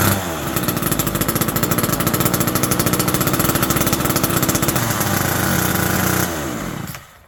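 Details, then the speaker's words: Vintage Homelite Super 2 automatic-oiling chainsaw, just started after WD40 and starter work, holds a fast, even two-stroke buzz well above normal idle for about six seconds, then cuts out; owner suspects an air leak or the saw being way out of tune. "overall this thing is uh pretty good shape it did idle really high um as if it has like an air leak or possibly Way Out Of Tune"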